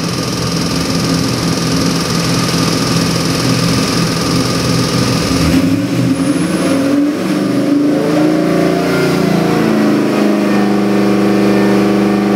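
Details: Chevy LS3 416ci stroker crate engine, aluminum 6-bolt block, rated 550hp, on the dyno: loud V8 pulling hard and holding revs, then a clean, even tone as it settles; healthy, strong-running engine.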